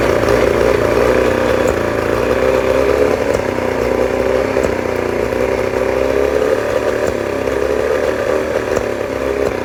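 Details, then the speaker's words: 1989 Johnson 40 hp two-stroke outboard at steady speed: buzzy running with a slightly uneven, stumbling beat; owner suspects a misfire, not confirmed. "Um I'm just trying to figure out what's going on. Is that like a misfire or I don't know."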